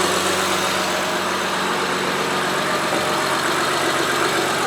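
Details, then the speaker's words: Honda Pilot after replacing a failed fuel injector, first proper start since repair: steady even idle with no misses, ticks or stumbles and no fuel leak smell; sounds fantastic. "let me just go up in this double thick darn sure we don't make gas leaks don't smell anything sounds fantastic"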